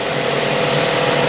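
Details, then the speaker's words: Mazda 3 after water pump replacement, warming up to temperature: quiet, even idle with a smooth steady hum, no more grinding bearing noise from the front of the engine; normal idle. "But I'm going to let it run, let it get up to temperature. I like that, nice and quiet, no more noise."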